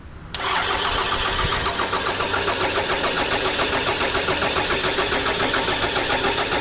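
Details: 1998 Toyota Camry, crank no start after a snapped timing belt was replaced: starter spins the engine evenly at about three and a half beats a second but it never catches; spark and compression checked with a scope.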